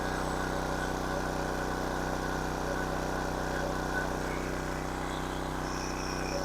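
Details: King Canada 1500 W generator, Chinese engine, running a hair dryer between medium and high: steady, even drone sitting a touch high, never settling; governor holds engine above rated speed, 76 Hz, spring tension to be reduced.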